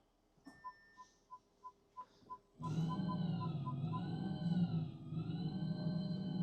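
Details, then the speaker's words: 2024 Audi e-tron, bought at auction as a non-runner with HV and pre-charge faults, now in drive after transistor repair: chimes, then a clean electric whine rising and falling with motor speed, loud with covers off but healthy. "That makes a lot of noise. Without all the covers on um the engine is noisy."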